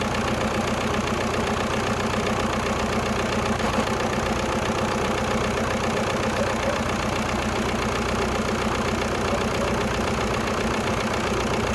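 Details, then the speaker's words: 1996 VW Passat TDI diesel started on jumper cables and a spare battery after being towed home: loud, raw, blatty exhaust with steady clatter at idle, far too loud for a muffled system; muffler missing or blown. "okay so apparently we need a muffler it's not a big deal that was pretty easy guys said it ran and it sure does"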